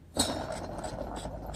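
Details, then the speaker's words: Mower deck spindle, removed from the deck and spun by hand, not rubbing on anything: dry, gritty whir with a faint rasp each turn from worn, dry non-greasable bearings, to be replaced with new bearings. "hear how dry the bearings sound and this is a new bearing to put in these"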